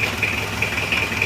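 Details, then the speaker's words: Isuzu Panther Miyabi diesel after engine rebuild, glow plugs not working so it was hard to start, injection pump timing suspected too far advanced: even idle clatter with a thin high whistle on top; still smoking, not yet warm, normal cold idle. "nah ini kondisinya seperti ini masih ngasap karena masih dingin belum [Musik] panas"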